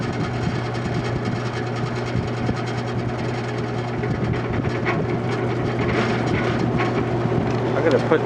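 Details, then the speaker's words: Vintage General Electric 3-speed reversible box fan, found discarded and once nearly seized, on high after years unused: steady low motor hum with faint uneven rattle as it spins up; dry motor bearings need oil. "let's just try it and see on high that it's gonna need some oil it needs some oil but we'll let it spin up"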